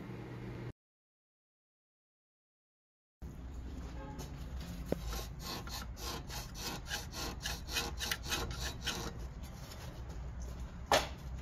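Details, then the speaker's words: Hyundai Palisade gasoline, under-car noise: quick dry rubbing creak about three times a second, matching a worn stabilizer (sway bar) link bushing; the arm was also replaced, and the owner supplied the new links and stabilizer bar. "그리고 하친 소음인데 영상속 처음 소음은 쪽에서 놨었습니다 활대링크 부싱 소리랑 똑같거든요"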